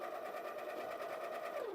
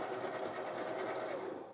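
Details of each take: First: Baratza Encore clogged with coffee packed in the chute: the motor runs with a steady hum as if empty and the beans hop in the hopper, but there is no grinding crunch, then it winds down. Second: Baratza Encore burr coffee grinder after its clogged discharge chute was cleaned out: even mid-pitched motor whir for under two seconds, then stops, nothing binding; normal grinding restored after unclogging.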